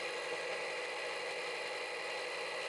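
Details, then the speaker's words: Ridgid R4092 10-inch wet tile saw after repair of blade not turning, with water pump running; steady even whirring hiss, no knocks, grinding or pitch change; saw and pump running smoothly. "we got water running so that's good"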